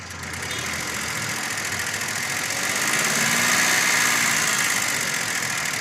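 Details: VW Polo engine, noise appeared after a part replacement: quick regular light tapping about three per second over the idle, like a noisy lifter or timing chain; engine ticking, cause unconfirmed.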